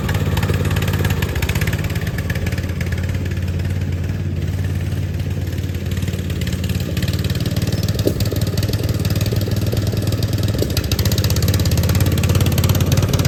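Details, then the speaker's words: Poland XT gear-drive lawn tractor with new Chinese carburetor, first run: small single running unevenly with popping and surging misfire; old spark plug white and fouled, carb adjustment also doubted. "all right y'all so we started the mower up and it ran and it had a nasty misfire you could hear it popping and surging it's a new carburetor so I'm only hoping that the uh it's adjusted right"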